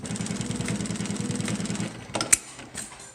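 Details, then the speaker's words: Juki LU1510N-7 industrial sewing machine, newly set up on its stand: quick, even stitching rattle, then sharp clicks as reverse engages for the back tack. Normal operation. "can actually hear the clicking. That's the reverse getting engaged."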